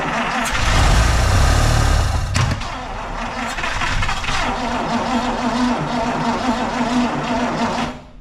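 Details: 1953 Buick being revived on its own restored fuel supply: heavy steady cranking, then ragged uneven catching that never settles into idle; trying to fire but won't run.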